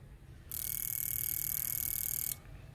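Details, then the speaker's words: Previously dead, clogged fuel injector after ultrasonic cleaning, bench-tested: crisp, rapid, even ticking for about two seconds, then stops cleanly; injector now clicks well and opens and closes freely. "And it actually clicks quite well."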